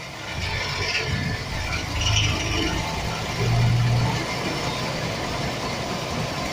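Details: 2007 Chevy Express 1500 4.3 V6 idling with loose irregular metallic rattle near the bellhousing; bad starter motor gear bumping against the flexplate.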